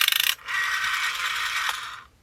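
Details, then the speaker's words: Rapid ratchety clicking on wind-up, then a scratchy grating whir on return, from the rotary dial of a new-in-box 1982 Telecom Australia 891 (800 series) wall phone; owner suspects the run-on part needs loosening or lubricating, unconfirmed. "And so, may need something lubricating in there. Yeah, that noise is there's something."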